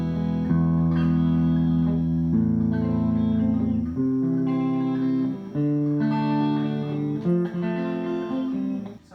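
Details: Fender Blues Deluxe hybrid tube amp, brought in for a power issue, after repair and a new Tung-Sol 12AX7, out of standby: clean guitar chords and notes ring clearly with no crackle, cut-outs or background hum. Amp plays normally.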